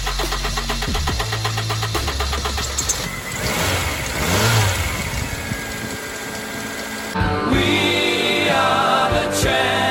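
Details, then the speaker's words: 1997-2001 Honda CR-V after a new distributor cap and rotor replaced the failed ones. The engine cranks, catches and settles into a steady, even run, partly under music; it starts and runs normally. "so distribute a cap and rotor and a spark plug tester forty dollars later and you got a running vehicle"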